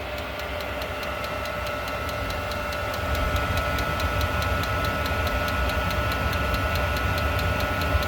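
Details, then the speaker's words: Diesel heater in an off-grid cabin, just refitted after a full teardown and deep soot clean following a night shutdown (owner suspects mixed fuel); restarted, steady pump ticking about three per second over low combustion roar, pump still clearing air; running normally. "Sounds good. Yeah, that pulser's giving her. Well, it feels like it's fired up."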